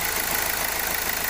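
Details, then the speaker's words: 2016 Hyundai Accent CRDi diesel after replacing a cracked sensor that caused misfiring and idle rising and falling: steady, even idle with no stumbles; normal idle after repair. "So okay na yung problema natin ito lang ung sensor lang So kanina palyado Mat taas Babang Menor gawa ng ah basag ito"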